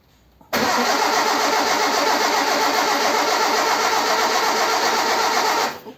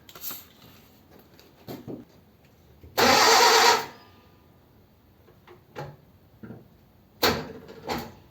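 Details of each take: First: Ford 100E with a stuck clutch and failed brakes, being started to warm up: engine catches at once and settles into a steady, even fast idle with no misses or knocks; starts and runs readily. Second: Old Ford 100E, clutch plate stuck to flywheel, starter used in gear with handbrake and foot brake on: heavy single clunk then short jerky lurches without catching; firm brake pressure gives a solid kachunk, lighter gives slow rotation.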